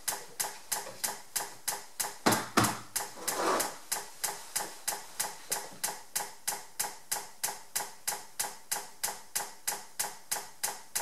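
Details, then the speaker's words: Buehler Simplimet 2000 mounting press during its heating cycle: crisp, even clicks about three per second from the air-operated Maximator pump driving the hydraulic fluid; normal cycling. "that you can hear is just from the maximator pump, which is an air operated pump to pump the hydraulic fluid."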